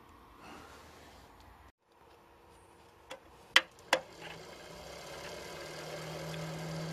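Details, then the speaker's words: Tiny Computers Pentium 3 450 Windows 98 PC: the power supply fan, first stuck and not spinning (possibly clogged with dust), now spins up freely. Low steady hum with an airy rush building over a few seconds; normal fan running. "running now that's spinning okay alright that's spinning alright"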